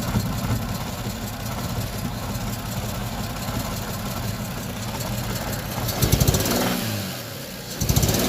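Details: Toyota 2JZ-GE distributor engine: loose, uneven knock about four times a second at idle and through a quick blip; cause undetermined.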